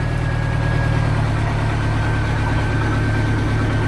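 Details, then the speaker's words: 1986 Sea Ray inboard engine idling just over 500 rpm after reinstallation, with compression found good: steady, low, even rumble with no misses or shaking; the smoothest idle since it went back in the boat. "yeah that's it has never been that's the smoothest after again since I put it put it back in the boat so I'm real happy man"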